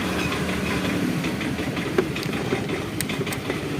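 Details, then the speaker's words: Honda Vario 110 carburetor scooter with an aftermarket (KW) CDI, pushed in after stalling: it starts, but runs with an uneven, stumbling beat, won't take throttle and dies; misfire from weak spark, traced to no charging from a broken charging coil wire and a flat battery. "Ini kata beliau berbet ya, terus tiba-tiba mati. Nah, ini bisa hidup. Jadi digas nggak bisa ini, nggak bisa digas."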